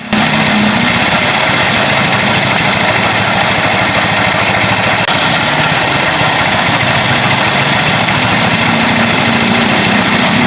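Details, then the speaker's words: Yamaha Mio i 125 scooter, previously overhauled elsewhere with crankshaft bearing and connecting rod replaced, idling with a fast metallic clatter inside the engine. "So Yan po so ipaparinig ko po sa inyo kung ano po ung ah naririnig nating kalansing sa motor Ayan po Pakinggan niyo"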